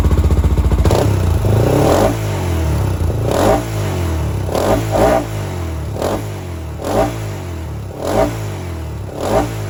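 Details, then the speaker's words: 2007 Honda 400EX that bogged and died on throttle, after needle adjustment and swapping the 155 main jet for a 120: repeated sharp throttle blips rise and fall cleanly from steady idle, crisp with no bog; healthy revving. "much better all right guys just going to wrap this one up um so obviously we got the bike running good now"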